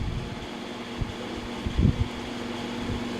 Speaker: So okay na yung starting niya mga kalikot. Ayan o ang lakas oh. Hindi na napipigilan. So ibig sabihin okay yung kanyang motor mga kalikot.